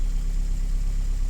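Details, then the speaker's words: 2012 Chevy Cruze 1.8 L, low on oil, had a click no-crank no-start. A blown fuse in the battery-top fuse box was jumped with a jump pack and it fired up. Low, even, smooth idle with no knocks, ticks or surges. "found a blown fuse jumped the blown fuse with the jump pack and she fired up"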